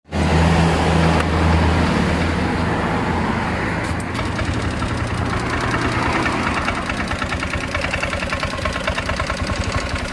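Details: Honda Click 125i scooter hard to start, won't accelerate and stumbles, caused by low fuel pressure; uneven wavering beat that won't hold steady. Hard starting and hesitation from low fuel pressure.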